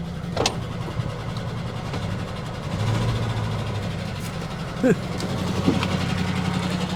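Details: 1967 Barracuda V8, long-stored: low, lumpy idle with a choppy beat and stumbling pulses, described as sounding like a chaff cutter. The noise seems to come from one side. Rough running, likely a misfire.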